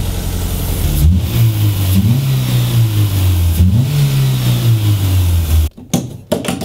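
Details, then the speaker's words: Renault Twingo 1 phase 2, bought broken with a reported turbo problem. Steady low hum that rises and falls cleanly with throttle blips, even and unbroken. Normal idle and revving. "Oh mec, une horloge une horloge parfait. Riders on the stone. Parfait, hein ?"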